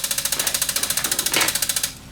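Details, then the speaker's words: Bose Wave music system CD player with jammed disc, CD won't eject: rapid even high-pitched clicking about thirteen per second, then stops; loading gear slipping in faulty CD deck mechanism. CD mechanism gear slipping. "you hear it it seems to have a mechanical problem with this one complaint was the CD won't object so we have a problem with the deck on this one"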